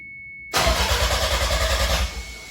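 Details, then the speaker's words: 1993 Toyota MR2 with a 3S-GTE Gen5 swap, first crank after the build with a fuse pulled and the intercooler fan unplugged: the starter turns the engine evenly at about six compression pulses a second without firing; cranking sounds healthy, and the fuel pump is heard working. "Alright, sounds healthy."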